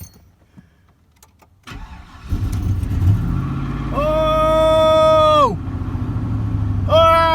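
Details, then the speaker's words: 2000 Chevrolet Silverado, wife's truck that had been hesitating and overheated, after spark plug and thermostat change: quick crank, catches first try and settles to steady idle with rising and falling belt whine; starts cleanly. "started the first try see what's going on man I haven't heard it sound like this in quite a while"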